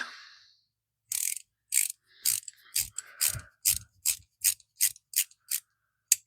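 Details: Old Bonney ratchet after a brake-cleaner bath: crisp, evenly sharp clicks, about a dozen in five seconds, with no grit or drag; little crud came out and the teeth are in fair shape, so the pawl action is clean and healthy.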